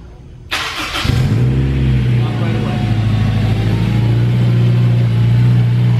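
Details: Turbo Honda S2000 first start, with remote oil cooler, after cranking with injectors removed to build oil pressure: quick crank, catches cleanly, then a smooth, steady idle with an even low hum and no knocks, a sound start.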